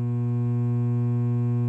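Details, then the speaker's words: Coleman DGAA056BDTA furnace showing a three-flash "combustion air switch failed to close" code. On start the inducer motor hums steadily but never spins up or builds airflow, then the furnace shuts down. Seized inducer motor hum, no start. "the furnaces now on do you hear it making that noise that humming noise well that indicates it's trying"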